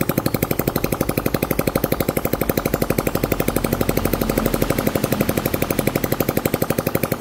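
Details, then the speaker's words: Old Honda Cub 50 engine after repair, just pull-started, with the exhaust held on but not yet bolted; crisp regular putt-putt with no knocking or stumbles, a very smooth idle. "Bây giờ anh Hiếu sẽ giật nổ này Đây là một cái động cơ máy móc rất là êm anh em"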